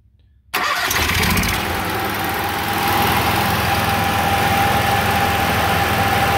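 Fires straight away and settles to a steady, even drone with constant pitch; the generator is running smoothly and holding speed.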